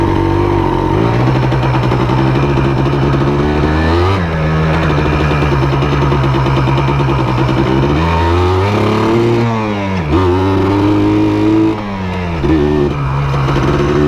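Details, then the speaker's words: 1999 Yamaha Blaster two-stroke quad accelerating through the gears on 32:1 premix, after mouse debris was cleaned from the airbox, reeds and engine and a new air cleaner was fitted. A crisp buzz climbs cleanly with short dips at the shifts and no bogging or misfire; normal. "yeah she ships like a dream it accelerates like somebody kicks there in the tail"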